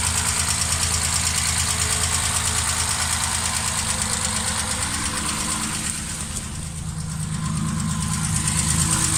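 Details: Triumph straight-six before rebuild, idling with a steady, hollow knock; first suspected tappets or rocker shaft, it turned out to be piston slap, fixed with new pistons, balanced crankshaft, lightened flywheel and a stock camshaft.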